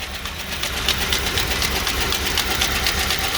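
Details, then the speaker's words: 2000 Lincoln Town Car, 4.6 L, 108,000 miles, running after being out of gas: a rough idle with sharp tapping about four times a second. The owner suspects a fuel knock, possibly the catalytic converters; not confirmed. "definitely got a fuel knock or something like that of some sort so there's gonna be some playing with it"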